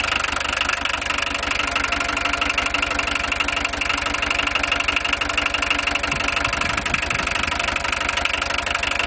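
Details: VW 1.6 TD diesel at steady idle with a sharp, even clatter about three ticks a second over the engine hum; loud diesel knock, owner asks whether it is excessive, cause not yet known.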